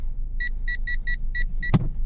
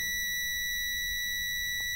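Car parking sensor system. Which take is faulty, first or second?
second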